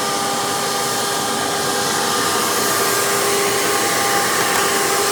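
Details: Hoover PowerMax II U5246-940 upright vacuum (2002), direct-air, 12 amp motor with 20-blade fan, after motor work, running on the hose with tools: steady, even high-pitched rushing whine, constant motor tone, no surging or rattles. Normal running.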